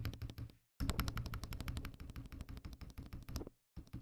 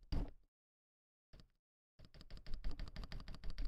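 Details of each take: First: Akko ACR Pro 68 keyboard after installation: bursts of crisp, even keystrokes with a solid low thock and no stabilizer rattle; sounds normal. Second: Akko ACR Pro 68 keyboard, assembled without case dampening foam and not yet tuned much: sharp clacky keystrokes about five a second, each with a hollow rattling tail, and a hollow, chattery spacebar stabilizer.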